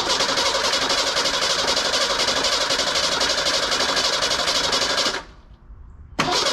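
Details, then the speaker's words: Junkyard 1987 Ford Bronco II, manual, first start after fuel filter/pump work: brief knock at start, then settles to an even, whisper-quiet idle with no misfire and no smoke; owner suspects blown head gasket; normal idle. "it's island perfect listen to this little thing i mean i'm sure the head gasket gets blown that's got all sorts of other issues but whisper quiet no smoke"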